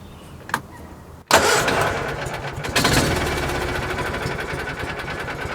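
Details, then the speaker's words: 1986 or 1987 Argo Magnum running off a boat tank, its internal tank split: short crank, then it catches at once into a low, even idle set low so the clutch doesn't engage; normal start and idle. "that thing just it's so difficult to start that is absolutely sweet you hear how low it's idling that's so the clutch doesn't engage and it makes so the gears don't grind too bad when you put it in gear but it really does run nice"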